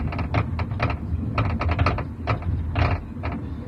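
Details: 2013 Ford Fusion rear suspension knock, recorded from the back seat with seat down and sound deadening removed: bursts of sharp hollow clunks and rattles over road rumble; slack found in rear shock mount, noise gone after mount replacement but partly returned a month later.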